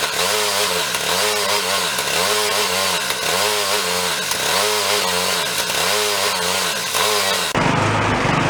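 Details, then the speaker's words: Used two-stage snowblower started on choke with a squirt of fuel: the engine surges up and down about once a second, hunting. Uneven running from a white speck of debris in the carburetor jet. "look close see this little white dot in there some debris"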